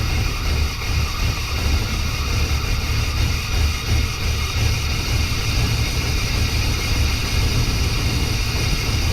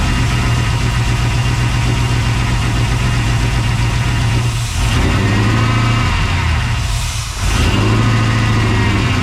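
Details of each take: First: 1992 Chevy C1500 with its original small-block Chevy 350 TBI, recorded just after an intake change with the timing badly set: deep, heavy V8 idle that sounds lumpy and uneven; rough idle from incorrect ignition timing. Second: 1992 Chevy C1500 with LS1/T56 swap, first start on standalone harness without radiator, run a few seconds, some header smoke: deep steady V8 idle holding even, brief dips, no knocking or misfire; normal idle.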